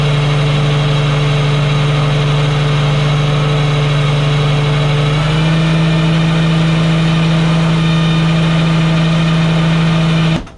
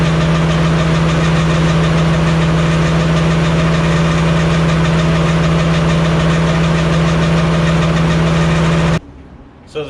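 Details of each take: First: Walker mower gearbox-driven deck (PTO, not belt spindles) during repair test: loud steady low hum stepping up slightly in pitch midway, then cutting off cleanly; typical normal Walker gearbox sound. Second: Walker mower deck running, sound test with standard blades (Versamo blades removed): loud drone with faint quick metallic tink at constant rate, not like blade strike; problem predated Versamo blades, source still unknown.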